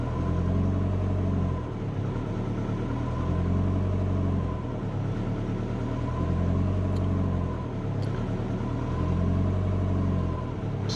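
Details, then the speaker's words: Subaru Forester on a laptop tune, long-term fuel trims disabled; after a throttle blip the idle surges and sags every few seconds without settling, with O2 control proportional gain at 75; idle hunting from excessive idle control gain, better after halving it. "Still trying to get back. Still going. It's pretty bad, isn't it?"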